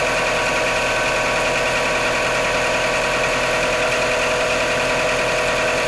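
Steady idle right after a cold start with an uneven tapping knock beneath the engine noise; the cause isn't clear from sound alone.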